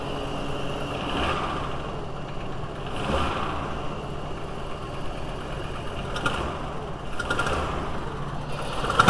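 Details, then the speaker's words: VW T4 2.5L with intermittent rough running in a certain cold-engine temperature range, rich smell and loss of power: an uneven idle with irregular soft pops and puffs every second or two, like a misfire back through the intake; cause not yet confirmed. "You can hear the farting."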